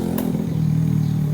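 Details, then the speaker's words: Honda Revo injection (Revo X, PGM-FI, four-wire pump): priming after the fuel pump was replaced. Before the fix the pump didn't hum and the bike stalled after five minutes. Now a clear, steady, even hum holds through the prime at 40 psi; 38–40 psi is optimal. Normal priming. "dari dengungnya itu nyaring dan pas di 40 psi ya. Ini nilai optimal di 40 psi untuk saat praming."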